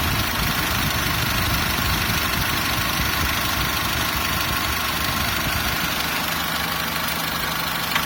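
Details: SsangYong Actyon Sports 2 with the DTR2.0 diesel: steady idle with a fast, fairly regular knock of about three per second riding on top. Engine knock, cause needing further checking.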